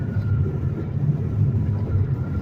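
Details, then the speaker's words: 2010 Chevy Impala coasting down, heard inside the car: a low, steady droning hum under road noise, also while slowing, from a bad wheel hub bearing; tires and rotor already checked. "wheel hub bearing is bad it's making like a real loud humming sound and I've checked my tires and I've checked um my rotor everything else"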